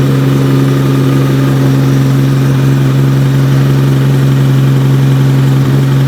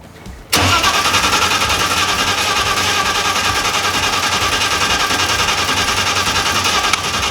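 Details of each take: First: Nissan R32 GT-R with a 3.4L RB engine on a MoTeC ECU, on its first start after the build, with big rear mufflers keeping it quiet. A strong, steady, deep idle with no stumbling or popping; it runs cleanly. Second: Full carbon R32 GT-R with 3.4L RB engine and MoTeC ECU, first start: catches hard then loud, lumpy, uneven run; sounds out of time, timing suspected, not confirmed.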